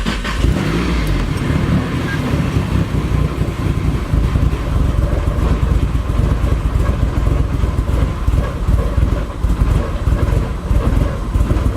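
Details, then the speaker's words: Nissan 240SX with SR20 engine after losing power at about 5,000 rpm: choppy, uneven idle with stumbling pulses, running super rich; reseating the MAF changed nothing; rough running later traced to a faulty wiring connector. "Still running just as rough. Super rich. Did not change a thing."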